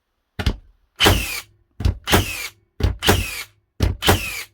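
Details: Second-gen Hikoki NR1890DCA cordless first-fix nailer on a 2Ah battery, test-fired indoors: five crisp double-thunk shots about once a second, each clean and full; cycling and driving properly.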